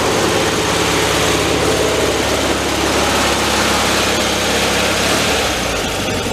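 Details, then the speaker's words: 1974 VW Thing air-cooled flat-four, 29k miles and long stored, warming up with choke being checked: uneven loping idle at about three pulses a second; rough idle, the air-fuel mixture is set wrong. "gear let it warm a little bit more on the side you have um addal speed in the air fuel mixture are down below over here I can hear right now it's kind of off see if the choke is open all the way yeah I can even hear that they got it kind of the mix is off"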